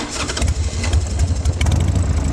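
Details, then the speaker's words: Harley Sportster 1200 V-twin with drag pipes, Hypercharger air cleaner, started cold: lumpy uneven idle with stumbles, pops on throttle, no smoke; plugs need cleaning/replacing, intake seals suspected for popping and spitting. "You can hear it pop when you give it the gas, and when you start it cold, you can tell the plugs need to be cleaned."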